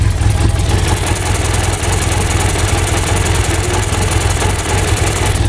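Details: BMW F800GS twin idling with thumping beat and thin steady high hiss: air drawn through a faulty vacuum hose causing a lean-condition misfire; leak to be located by spraying brake cleaner.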